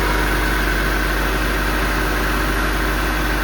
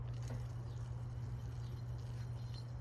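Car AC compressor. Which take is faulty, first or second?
second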